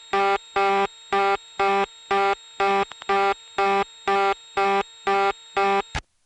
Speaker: in both cases were going through Manassas to get to the final office here's a call to the reorder tone in Knoxville